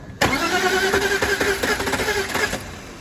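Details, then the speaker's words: BMW E46 with M52 engine that cut out: the starter cranks at a steady three beats a second and it never fires; there is no fuel pressure at the fuel line, and the mechanic suspects no compression; cranks but won't start. "It's a bread and butter job. Car cut out MOT place. Been told in and um it sounds like there's no compression to me, but I'm going to do the basics."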